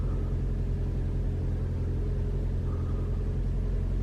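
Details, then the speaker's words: 2021 Toyota RAV4 Prime SE in hybrid mode, 57°F outside, heater on auto with AC off: engine starts and runs with a deep, even rumble, no heat pump hoot or horn-like tone; normal running. "I don't hear anything. All I hear is the engine."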